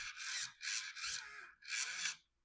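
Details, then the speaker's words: Brum 2003 toy RC car rebuilt with new electronics, original steering motor now driven through a modern ESC and receiver on bench test: four short, raspy, high-pitched grinding bursts as steering swings; it steers properly but the steering gearbox is noisy. "Uh it does steer properly. It's a little noisy."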